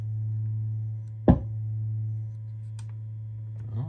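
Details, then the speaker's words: Krank Nineteen 80 Jr 20 W tube guitar amp on the bench, fed a sine test tone through the input: steady low tone broken by one sharp pop about a second in, caused by an input jack that wasn't fully seated. "doing that I just heard a little poppy pop didn't I oh impa Jack wasn't seated pardon me a little rookie move huh"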